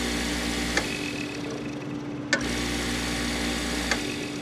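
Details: Rotary HVAC compressor, refrigerant removed, lines cut, pumping air as a silent air compressor build: steady even motor hum with a light tick about every second and a half; runs smoothly, no knocking or strain, restarts without problem.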